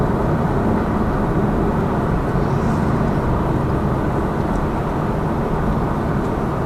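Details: Lada Vesta Cross with AMT 2.0 robot gearbox, fully loaded, over joints on rough road; head-mounted action camera. Steady road and engine drone, no thumps or clunks; suspension quiet after shock absorber strut replacement cured the knock.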